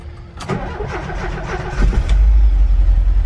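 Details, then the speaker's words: VW Vanagon engine starting after fuel tank replacement with fuel pump priming: brief cranking, then catches and settles into a steady, even idle with no misses or knocks; healthy start, no fuel leaks found. "And there we go. She's running."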